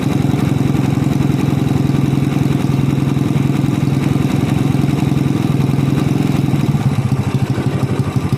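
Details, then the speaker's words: Honda Supra Fit motorcycle fitted with a PE24 carburettor, hard to start with black sooty spark plug: engine at mid revs stutters and breaks up irregularly, worse toward the end; over-rich misfire, pilot jet and carb need resetting. "I've tried making it start, it's messed up, bro, bro, brebetbrebet, let's open the carburetor, we'll reset it, and we'll check it again and check the spark plug again."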